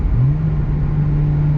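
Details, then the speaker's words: K-swapped Honda EM1 driven in fifth gear with the throttle floored: the engine note shoots up then holds flat without pulling the car, a worn clutch slipping; it grips in first but slips in the other gears and needs replacing. "I figured I'd show you what I'm talking about. This clutch is gone. I'll put it in fifth gear."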